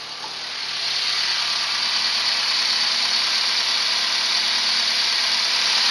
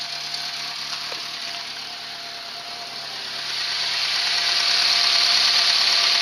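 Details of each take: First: Renault 11 TXE at idle after the timing belt (distribution) was correctly replaced: an even, steady idle that now holds better, with no misses, though there is still an exhaust leak. It sounds healthy. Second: Renault 11 TXE at idle after timing work: even idle with a steady high hiss that grows louder and a quick pulse about four a second; owner suspects an exhaust leak, likely at the rotten downpipe/manifold collar.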